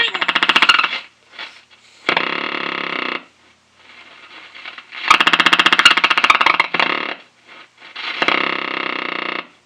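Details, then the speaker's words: 1933 RCA Model 120 cathedral radio raised to 110 V on variac (rated 115 V) with iffy original capacitors: loud choppy thumping bursts about four a second, like a helicopter, starting and stopping; classic amplifier motorboating. "that's an epic motor boating"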